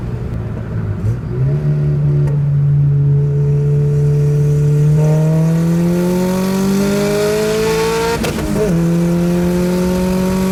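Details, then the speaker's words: Nissan Sentra with SR20VET swap, new traction bars: engine pulls cleanly through the gears, pitch climbing smoothly, no surging or hunting under load; boost steady at 9 psi versus the earlier swing between 6 and 9. "So it just wasn't a constant 9 pounds. I have clips of it on the steady 9 pounds."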